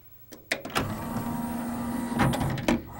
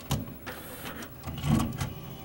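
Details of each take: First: CLD-M301 laserdisc player's disc tray, freed after sticking, cycling with a steady low motor whir and a few clicks at the start and end of travel; it runs smoothly and evenly. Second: CLD-M301 laserdisc player with built-in 5-disc changer trying to switch to side B: mechanism clicks, then the disc motor spins up abnormally slowly in reverse and stops, laser returning; long-standing fault, cause unknown.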